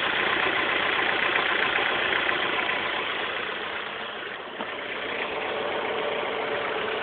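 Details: 2006 S2000, rattle for a week: a fast, fairly even metallic rattle over a steady idle. The owner suspects the timing chain auto tensioner (TCT), unconfirmed.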